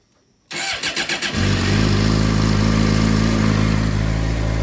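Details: 2007 Suzuki GSX-R600 after ECU (CDI) replacement, previously no start, gauge still not working; several quick cranking bursts, then catches cleanly and runs strong with firm revs: starting normally.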